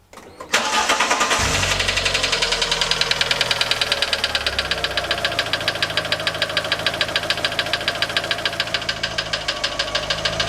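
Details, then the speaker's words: Fiat 500 after cambelt and sump work, first start: steady idle with loud, sharp, regular knock about three per second that wasn't there before; owner suspects the sump baffle plate catching the crank. "now then we have a massive problem the engine has been running and it's absolutely knocking its nuts off didn't do this before it's only done it now"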